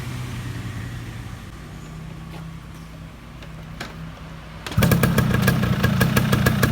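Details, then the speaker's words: Yamaha F1ZR two-stroke motorcycle before restoration: engine catches and idles with a harsh, uneven pulsing beat and vibration felt outside; rough internal noise, cause still to be checked. "Nah kalau temen-temen denger di sini ya ini suara di dalamnya agak kasar gitu dan getarnya Kayaknya sampai kerasa keluar"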